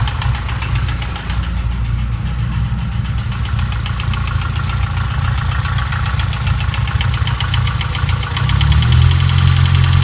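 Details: BMW S14 four-cylinder at idle: busy metallic clatter over low running note; engine noise at idle, source unconfirmed.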